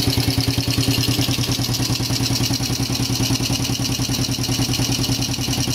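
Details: Yamaha Jupiter Z carburetted after engine teardown and rebuild for overly rough noise and white smoke, air filter hose not yet fitted: steady even single-cylinder putter, no misses or knocks, no more white smoke; normal idle.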